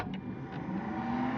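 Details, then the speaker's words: Cessna 172 on a cold day, master switch on before start: low steady cockpit hum with a faint whine climbing in pitch as avionics fan and gyros spin up; low voltage light on as expected; normal. "Hear the avionics fan and the gyros. Low voltage light comes on, as it should."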